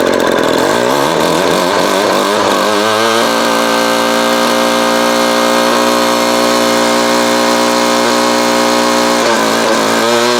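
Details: Vintage Craftsman 22.2cc 14-inch two-stroke string trimmer, estimated early-to-mid 1980s, original spark plug and fuel filter, fuel line replaced and carb cleaned; a few rough catches, then steady even buzz at constant pitch; running smoothly, healthy.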